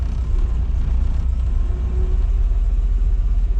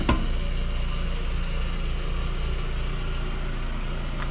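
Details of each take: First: 1999 VW Golf MK4 2.0, jump-started, codes P0300/P0302/P0304: deep rumble falters and sags on light throttle, idles smooth off the gas; caused by bad mass air flow sensor. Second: 1999 VW Golf MK4 2.0 after replacing the faulty mass air flow sensor: smooth, steady four-cylinder idle with no stumble or surging; engine running normally.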